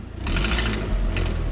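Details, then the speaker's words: Audi with a leaking exhaust manifold gasket: fairly quiet at idle, but revving brings a loud rasping puff and tick that grows with throttle. "you know so we got a gasket pass it's not a big deal"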